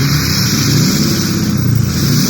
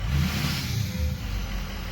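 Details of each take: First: Ford 6.0 diesel after turbo replacement, oil cooler and EGR delete, warming up: repeated free revs each bring a clean rising turbo whistle that falls away smoothly. Normal turbo spool. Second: Ford 6.0 diesel revved with the note surging and wavering instead of climbing steadily: the VGT turbo is stuck at 0.84, so boost fluctuates as the vanes try to break free.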